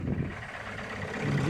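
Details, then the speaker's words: Renault Duster diesel just restarted after high-pressure fuel pump repair and timing reset; rough uneven knock and heavy vibration at idle, injectors suspected; scanner then shows P0201 injector circuit open cylinder 1. "lot of knocking and vibration in engine feels like injectors are faulty"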